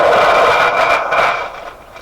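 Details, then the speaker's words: Heathkit SB104A transceiver during HFO/premix D-board alignment: hissy static with a steady high whistle that fades; owner says it makes these sounds constantly and thinks it is unrelated to the adjustment; source unclear. "Yeah, this radio makes those sounds all the time, and I don't know. I think I hear that on other shortwave radios."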